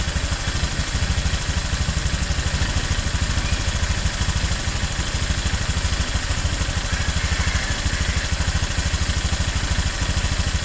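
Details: New Honda Click 150i scooter, 300 km on odometer: steady idle with a light, regular ticking riding over the low exhaust thump.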